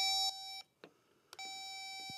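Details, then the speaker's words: Vehicle wiper fault, with ignition and wipers on: probing pins 1 and 9, the top connectors in the green plug, gives a steady high continuity tone that cuts out and returns as the probes touch. Earth path present. "So, we're going to check pin one and pin nine. They are both the top collectors in this green plug and they both got an earth path."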